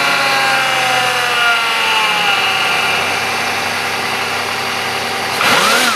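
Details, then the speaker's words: 1993 or 1996 Buick LeSabre with a known fuel leak, started with a fresh battery after sitting: steady, even idle with a smooth drone and one clean throttle blip; normal idle after cold start. "well she started pretty good cuz it does have that fuel leak but uh we can give her a try anyway"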